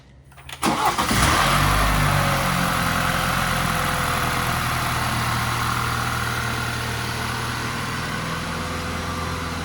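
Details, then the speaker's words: BMW 430i that stuttered and stalled while refueling, started right after replacing the fuel tank breather valve; short crank, fires immediately into a smooth, steady idle, only a hood-open warning shown. "You start it right up at least. All right, hood open. That's the only warning I got, is hood open."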